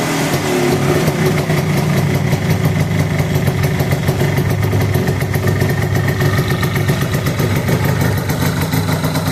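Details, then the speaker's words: 1973 Arctic Cat Lynx with Kawasaki 292cc two-stroke after clutch tuning with new face, slanted pucks and white spring of 99 lb engagement pressure: even, steady idle with smooth rapid beat, no surging or clatter; normal idle. "I have a white spring in here right now that means there is 99 lbs of back pressure on this sheath before we let this belt engage and it sounds pretty good it sounds better"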